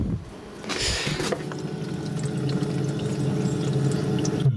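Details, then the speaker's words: Evakool 12 V compressor fridge: compressor hums steadily with a watery gurgle; system leaking refrigerant and not holding pressure, won't cool, compressor to be salvaged. "yeah it's just not holding pressure it's done for [Music] it's done for"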